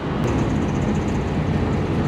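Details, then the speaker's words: Slant six engine running with oil replaced by Dawn dish soap: rough heavy running with faint quick tapping, bearing knock from oil starvation that worsens. "Here's a knocking. Here's a little knocking. It's probably not good."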